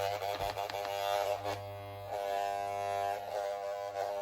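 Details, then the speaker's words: Worn hair clipper, blades lubricated with deodorant instead of oil, idling without cutting: loud, coarse, uneven low buzz; the owner says it is breaking down and feels like coming apart, and suspects how it was held. "But even if I go all the way down, like I just did a few seconds ago, it still makes really loud buzzing noise when I'm not cutting."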